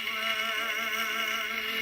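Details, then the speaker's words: Victrola gramophone with a reproduction reproducer: music plays thin, tinny and quiet with no bass; the reproducer is poor with perished gaskets needing replacement. "That's a reproduction right there. That reproducer. So that's why it sounds like garbage."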